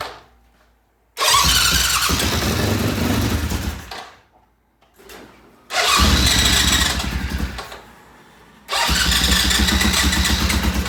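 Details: Restored vintage British Norton twin, first cold start in the shop: several sputtering cranking bursts die out, then it fires and settles into a loud steady run to warm up.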